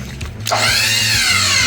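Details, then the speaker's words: 5x10 dump trailer 12V hydraulic pump, fluid not low: motor runs with steady high whine and no sign of loading up, seeming to draw no oil; pump not drawing oil, suspected bad pump. "It sounds like it's sucking zero oil up."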